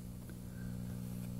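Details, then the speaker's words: Noisy Cactus AmpWorks amp used as radio receiver: steady low hum with stacked buzzy tones, constant throughout; owner unsure if normal, suspects house outlets; amplifier hum. "i don't know if that's normal you know that sounds better like that but i don't even know if that should be heard that loham little queen action"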